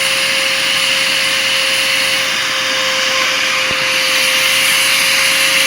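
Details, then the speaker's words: Bissell Powerforce Compact upright vacuum before restoration, during a water-lift test: steady high-pitched motor whine with a hollow rush, motor overspeeding because airflow is almost completely clogged, about 50 inches water lift, estimated 20–30 CFM. "okay so we are very clogged and if you have these machines or no these machines then you can probably hear the the motor spinning up a little too high"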